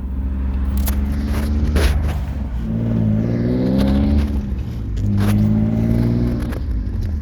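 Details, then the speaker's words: BMW E46 on the move with solid engine and transmission mounts, a steady whine climbing in pitch on each acceleration; owner suspects drivetrain or transmission, noticed over the past two months, cause unconfirmed; car drives fine. "it drives fine but that Triggs that transmission drive lime whine"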